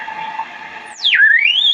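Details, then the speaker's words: Vintage 1975 RCA WR-50B signal/sweep generator at 5 MHz, signal sent via a wire antenna on a T to a radio: whistle swoops down then climbs as the dial turns, a heterodyne beat squeal from frequency offset, zeroing out at zero beat when frequencies match. "you can hear that squeal, and when it zeroes out, that's called the zero beat. So these frequencies are exactly the same."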